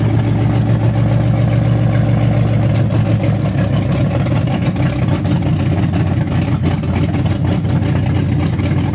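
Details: Car nicknamed Betsy, carbureted engine with newly broken-in camshaft and idle timing set the day before, started the next day: loud lumpy idle with uneven low pulses never settling. Rough idle; cause not confirmed.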